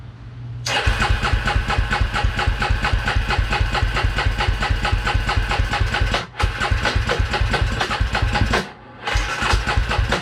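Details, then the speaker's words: 2003 Polaris Predator ATV, first fire-up after rebuild and assembly: fast even cranking with uneven firing, stumbles and stops, never idles; exhaust wet, engine flooded and running very rich. "Look how wet the exhaust got. I thought she was up. She flooded."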